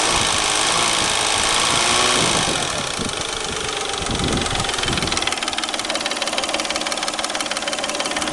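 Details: Peugeot 607 3.0 V6 at idle: a sharp, regular knock at about three to four a second that tracks the idle, located near the timing drive (ГРМ) at the front of the engine. Mechanical knock, cause not determined.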